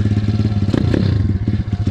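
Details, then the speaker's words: SSR 170TX pit bike single-cylinder, warm after about 5 minutes idling: quick even thumping exhaust beat, steady idle, no rattles or stumbles; healthy. "She sounds good too. Been letting her idle for about 5 minutes."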